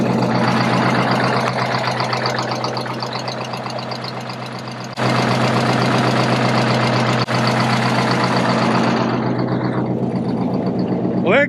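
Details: 1976 MCI MC-8 bus converted to RV, big diesel first start after about 3–4 years sitting: settles into steady idle at about four beats a second, even and smooth with no knock or miss.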